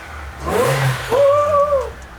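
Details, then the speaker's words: Supercharged Alfa Romeo V6 first started after fitting a new supercharger belt: engine blips and a clean, rising whine climbs and falls with revs, no rattle or grind; supercharger working normally again. "oh my God it makes super charging noises again"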